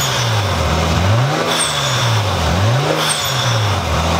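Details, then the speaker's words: Japanese-import Nissan Skyline with an RB engine, after a repair cured hesitation at idle and in boost; it now makes full power. Clean repeated free revs with boost, no stumble or misfire; normal revving. "gets the full amount of power a little bit of boost action for the [Music]"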